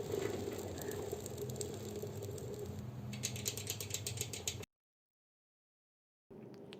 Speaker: This kind of sound comes when we spin any gear e-bike hub motor in reverse. It comes from this clutch system (clutch noise)